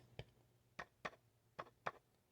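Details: Vintage JBL L-40 loudspeaker, JBL 127A driver being re-foamed: five light taps on the cone each give a short buzzy rattle as the glue sets, so the voice coil is off-center and rubbing in the gap.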